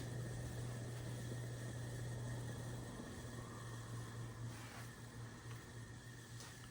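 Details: NuTone Verandah Deluxe ceiling fan run on a NuTone Skylark control at its highest setting; quiet running with a steady low hum and faint thin whine, an abnormal motor noise, cause unclear.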